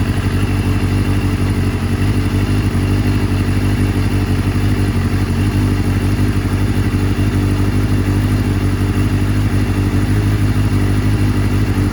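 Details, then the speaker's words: 1989 Kawasaki ZX7 (750 four-cylinder) running after penetrating oil soaked overnight for suspected sticky rings in cylinder 2; the choke won't stay on. A loud, lumpy, irregular idle. Cylinder 2 runs hotter and looks leaner. Rough running. "So number 2 is definitely burning hotter than the others for sure, which would explain why it looks a little leaner."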